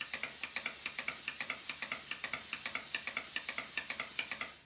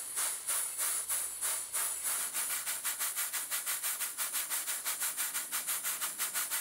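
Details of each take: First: Southworth duplex steam pump on a large Stuart Models steam plant, before valve timing adjustment: sharp ticks at about two and a half per second in a lopsided, limping rhythm; the valve timing is off. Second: Stuart Models Southworth duplex steam pump running on steam with carefully set valve timing: crisp, evenly spaced chuffs at about 90 a minute, locomotive-like; the valve events are even and well timed.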